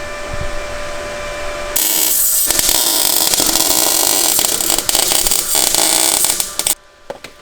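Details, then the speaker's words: Welding a bolt onto a rusty car chassis as a muffler hanger: harsh, spitting crackle that keeps breaking up and popping for about five seconds. Erratic welding arc on rusty metal, though the weld is expected to hold. "That's what it sounds like when you're welding to rust. It's gonna hold."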